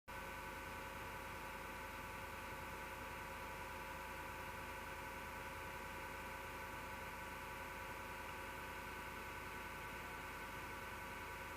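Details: Desktop PC, MSGW Plutos power supply fan: steady whir with rough grinding undertone and fixed tones; owner suspects a bad, vibrating bearing; noise returned after two months and disappears after the PC is off overnight.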